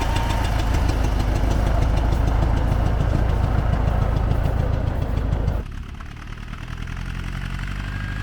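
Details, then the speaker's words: T-40AM tractor diesel idling after the drive back to the garage: the air cleaner sneezes with a steady chuff about three and a half beats a second, then settles to a lower tone. Intake chuffing worth checking. "Послушайте, как чихает очиститель воздуха ."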